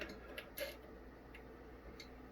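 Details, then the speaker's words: Korad KA3305 30V 5A dual-channel bench power supply, opened for repair after a channel failed: sharp isolated clicks as the transformer tap relays switch on and off while output voltage changes. "i don't know if you can hear that on there the relays are switching it off and on"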